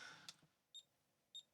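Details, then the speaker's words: ZX Spectrum Plus (issue 6A) with 8.8 V feed: two very quiet high beeps about 0.6 s apart; audio output transistor passes no signal on one pin, presumed failed, causing a faint speaker beep. "The signal is there and then the left hand pin. Is has a signal where the other one didn't. So it's pretty reasonable to assume that the transistor is the problem here."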